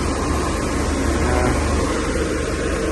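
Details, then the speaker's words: Worn McQuay chilled-water commercial air handler blower after replacing pillow block bearings that sounded like a jackhammer and refastening a loose duct: smooth, even low rumble and airflow hiss, grinding and vibration gone; normal blower operation. "that quieted it down I just took a loose and uh pulled up on the duck and res screwed it in so vibration gone"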